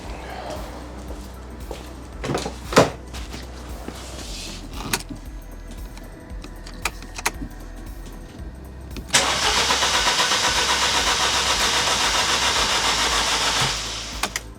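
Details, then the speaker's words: Ford Puma that stopped running, cranked after fuel confirmed reaching the front and the system primed: clicks, then about 4.5 seconds of cranking with no firing; fault in the engine bay, owner suspects an injector or pressure regulator. "No, not starting. So, the plot thickens then. It's something in the engine bay rather than under the under the back of the car, which I'm quite pleased about."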